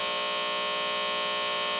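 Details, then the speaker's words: Trane XE90 furnace, nearly 30 years old, with its original White Rodgers control board, right after the breaker is switched on: a steady bright electrical buzz from the board with a solid LED, the code for internal control failure; the board is to be replaced. "so I just turned the breaker onto the furnace you can hear that buzzing noise it's definitely coming from right here if you can even feel it"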